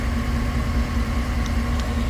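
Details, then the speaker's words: 2008 GMC Tahoe after no-crank/no-communication fault fixed by disconnecting the shorted ABS control module: steady, even low idle with no misses, knocks or ticks; normal idle. "सब system ने काम चालू कर दिया Clustal भी न हो गया गाड़ी स्टार्ट भी हो गया और एसी भी सही हो गया"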